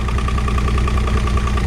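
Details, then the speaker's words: 2006 Evinrude 90 E-TEC outboard after fuel pump work, now idling smooth and even with steady low pulse and faint whine, no misses; no active faults, engine temperature about right. "It's good. No active faults. Temperature is about right."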